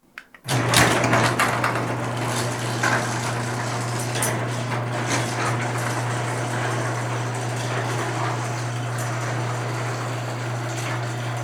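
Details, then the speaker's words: Garage door opener after lubricating the joints, bearings and coils with garage door lube: a steady low motor hum with light metal rattle, which is normal for a metal door. The previous screeching is gone. "But as you notice, no more screeching in the garage door, which was the goal."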